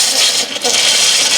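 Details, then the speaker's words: Hot-water faucet after replacing an electric water heater's upper element and refilling the tank, before power is turned on: loud hissing water rush with sputtering surges as air spits out of the line; normal purging. "So if you go around all your faucets, you'll hear them shooting a bunch of air out, which is what you want."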